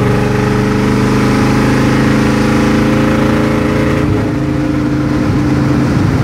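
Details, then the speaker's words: Chevy C30 V8 with mufflers cut off, hard acceleration: loud open-exhaust pull that falters and breaks up around four seconds instead of climbing; a bog, worse the warmer the engine gets, cause undetermined. "let's do this couple more times that's what i was talking about this is doing it so bad not as bad as yesterday but it's it's all about how much how warm it gets really"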